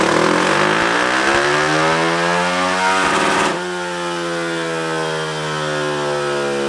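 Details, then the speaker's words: Tcb Xf-24 pit bike, Daytona 190-based 225cc stroker single (66mm piston), full-throttle dyno run after richening the needle one clip: bark climbing smoothly in pitch then cutting back clean to a lower drone; final run made 27.8 hp, 19.9 ft-lb. "Alright, so we just got our final test run. We were able to hit 27, which is absolutely insane."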